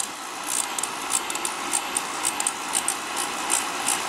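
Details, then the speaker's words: Beckett oil burner with 14,000-volt electronic ignition transformer: sharp irregular snapping crackles about three a second over steady burner motor hum as spark arcs across the electrodes; ignition transformer sparking properly. "That transformer sends spark down those electrodes right there. Sends spark down the electrodes, you know, arc right across."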